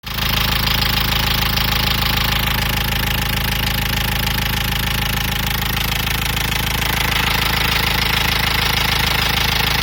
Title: Nissan Qashqai knocking noise